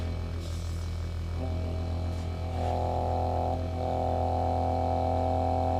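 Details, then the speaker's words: TurboWerx Spartan quiet turbo oil scavenge pump (12 V, max 3.5 A) on a bench test: steady low electric hum with a faint mid-pitched whine, even and quiet, no rattle; significantly quieter than the old pump. "oh wow you just about can't even yeah it's significantly quieter that's for sure"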